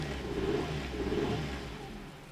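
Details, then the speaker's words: 1997 Nissan Almera/Pulsar N15, GA14DE, about 162k km, first start after sitting about 9-10 years: engine falls from a rev to a lumpy, stumbling idle on only 2-3 cylinders, blamed on fouled spark plugs; multi-cylinder misfire. "Oh yeah. It doesn't run on all the cylinders. Maybe like 2. Yeah, that's due to the spark plugs, obviously."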